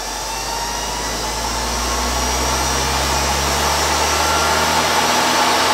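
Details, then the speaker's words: Treadmill motor with resistors added to speed potentiometer, cranked to high end without tripping emergency stop: smooth whine climbing slightly and holding steady at top speed, no grinding or surging; normal. "also we've saved of the high end here so if you want to crank it you can crank it without hitting that emergency stop"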